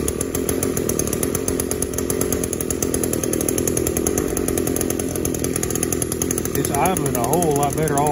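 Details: Echo SRM280S string trimmer, small two-stroke, after cleaning its clogged catalytic converter (it previously would not rev up; spark arrester screen, carburetor and plug already fine): steady buzz holding an even idle for eight seconds without surging or dying, idling cleanly.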